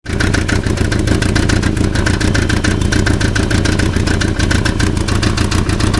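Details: German-built Volkswagen Passat at idle: a fast, steady metallic rattle that sounds like engine noise but comes from a loose catalytic converter shaking in the exhaust.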